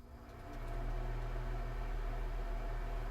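The fan spins up in about half a second to a smooth, steady low hum with no rattle or scrape; the motor sounds healthy.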